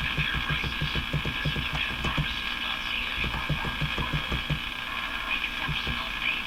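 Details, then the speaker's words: Crosley Model F-5 radio warming up with an alternate tube fitted: hissy, warbling garble with irregular low throbbing and no clear programme; distortion fault not yet traced. "It's garbling away."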